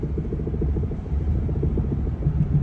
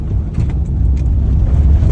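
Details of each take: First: Maruti Alto rolling with engine off on test drive: low rapid rattle of three or four knocks a second, worse over 40 on paved road; cause found as two missing suspension nuts after an alignment job, fixed by fitting nuts. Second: Maruti Alto on a test drive after repair: steady low road rumble with no knocks or rattles. The earlier rattling noise above 40 on paved roads was fixed by fitting two nuts.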